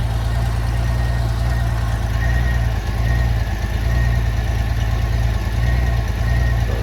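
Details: 1994 Honda GL1500 Goldwing Aspencade, first run in two and a half years after aftermarket fuel pump replacement, choke off: smooth, even low idle with steady beat, no knocks, misses or ticks; normal idle.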